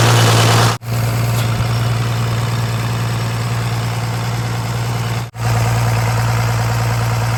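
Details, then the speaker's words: 1993 Dodge D350 Cummins turbo diesel, abandoned 18 years and run on an alternative fuel supply, put in gear and driven: deep steady rumble with uneven lumpy regular stumble; one cylinder dead, drives on five cylinders. "well it drives it drives on five baby it drives all five"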